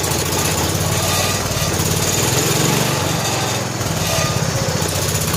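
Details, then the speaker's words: 1970 John Deere H3 garden tractor single-cylinder engine just started after head gasket replacement, old oil, cold evening about 47–48°F, idle turned up: steady, even chug with no hissing or puffing at the head; runs healthy. "What a sweetheart. Listen to that."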